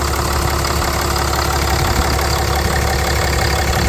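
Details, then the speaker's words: Ram 3500 after heater core supply hose replacement, coolant leak fixed: steady even low idle with constant drone, no misses or knocks; belt looks good, engine healthy. "Let's crank it up. Running, the belt still looks good."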